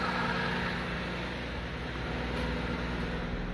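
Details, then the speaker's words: 2007 Lincoln MKX with misfire codes and a reported rough running, check-engine light on but not flashing: at this moment it idles evenly with a smooth low hum and no stumble or misfire. "I don't know if this picks up on camera or not but the car is running really smooth not misfiring"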